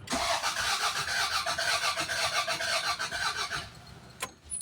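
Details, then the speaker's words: Toyota Corolla with a no-power problem traced to the computer box: starter cranks the engine steadily for about four seconds but it never starts. "ang problema nito mga sir cranking lang ayaw mag-start"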